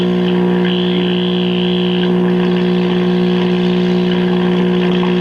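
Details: 1958 Philco F-750 clock radio before repair: steady low buzzing hum with stacked overtones from dried-out electrolytic filter capacitors. Fixed by replacing the filter caps, two bumble bee capacitors and a 68-ohm resistor that read 92 ohms.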